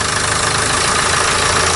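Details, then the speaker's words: Nissan Qashqai diesel, towed in, boost pipe replaced, idling with gauge reading DPF back pressure about 3,800 millibar, heading towards 4,000; loud steady idle with coarse rush and flat drone, choked by badly blocked diesel particulate filter, before cleaning. "Crazy DPF pressure in this one, the highest we've ever seen, 3,800 millibar at idle."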